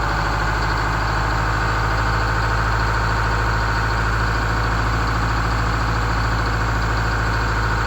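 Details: GM 4106 bus generator, started for the first time in 2.5 years, at steady even idle with a low regular thrum and no knocks or misses; sounds good.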